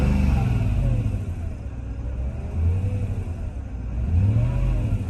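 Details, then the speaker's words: 2003 Mercedes-Benz E500, 5.0 V8, rear-wheel drive, 161,972 miles, check engine light on: idle hunting up and down roughly every 1.5 seconds, lumpy and unsettled, not running its best; cause not pinned down. "You can hear it's not running its best."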